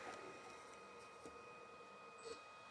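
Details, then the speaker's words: 15 hp three-phase motor for DeVilbiss air compressor on single-phase VFD, known wildly undersized, around 18–20 Hz; faint steady electrical buzz with thin high tone, but the motor doesn't do anything; motor buzzing but failing to start. "I'll try that again, and you can hear a little buzzing in the motor, but it doesn't do anything."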